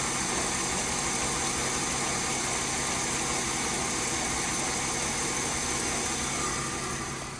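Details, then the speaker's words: Mercedes W204 after belt tensioner replacement: steady idle with light hiss, no belt squeal or chirp; belt now runs deeper instead of at the pulley edge as before. "но сейчас вроде хорошо то что и ремень уже вроде бы как если сказать он не с краю как был а немного поглубже"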